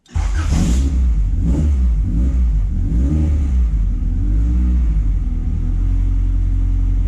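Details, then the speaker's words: Honda CRX Si with new 3-inch exhaust, cold start, fast idle control valve missing, IAC fitted, throttle held about 30 seconds; idle wavers between roughly 500 and 1000 rpm while warming; surging cold idle. "we don't have a little bit of tiny surging Idol from maybe anywhere from 500 1000 this is starts warm-up"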